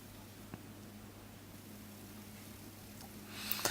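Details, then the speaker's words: LGB small locomotive Bühler 7-pole motor with gearbox just reassembled and regreased, on bench power supply at about 2 volts, minimum speed, running in reverse: very quiet even low hum, no knocks or surging; normal smooth running. "Now these are Bueller motors, and they have 7 poles, 7 sections, and they can run extremely smooth."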